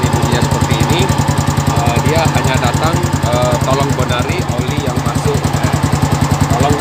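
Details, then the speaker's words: Old Yamaha Vixion with water contaminating the oil, before water pump seal and bearing replacement: a heavy, even clatter hammering several times a second in time with idle, much louder than normal. A severe abnormal engine noise. "Ini motor memang parah ya cuma dengan para sekali bunyinya"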